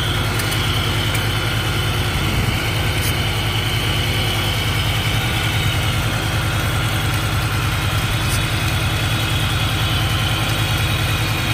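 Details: Idle during an intake vacuum-leak check, with brake cleaner sprayed around the intake. Revs hold at an even, steady low rumble with no surge or hunting. No air leak is found and the idle is healthy.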